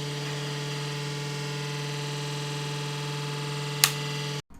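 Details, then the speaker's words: IBM PS/1 486SX computer, long stored in a shed, first power-up: a loud, steady droning hum with a rough edge from the power supply fan, whose bearing is suspected gone. No BIOS beeps are heard. "I think the bearing might be gone in the fan, and that's what's making that noise."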